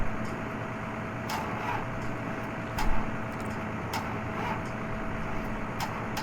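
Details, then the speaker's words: 1952 Dodge Coronet project, battery being charged off a running Cummins diesel truck revved higher: single sharp clicks about every second over the diesel hum, no cranking; starter only clicks, like a dead battery. "You know how disappointing that sound is. Anyone who's ever had a dead battery goes, yeah, I know that sound."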